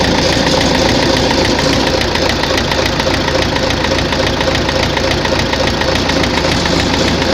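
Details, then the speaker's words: Tractor diesel after the fuel pump and injectors were checked and ruled out: heavy, regular knocking about 3.5 per second over a rough idle, heard at idle and mid revs but not at high revs; heavy wear found in the 4th cylinder. "Щось у тракторі стукає. Топлівний возив, форсунки возив, не воно. Що? Буду розбиратися. На оборотах не чуть його, а оце на холостих, на середніх."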